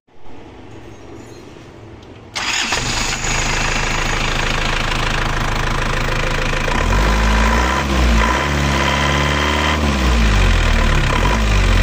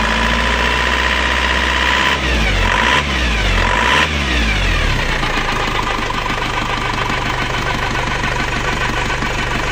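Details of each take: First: Diesel engine after rebuild with new rings and timing gears, first ran rough; after retarding injection pump timing slightly, it cranks, catches and settles into an even, smooth idle with no harsh knock. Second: Penta AE 1558 diesel just rebuilt with new rings and two worn timing gears replaced, crankshaft gear and connecting gear; now idles rough with a jet-like droning whine and wung-wung beat, though smooth before the rebuild; timing gear whine from mismatched gears.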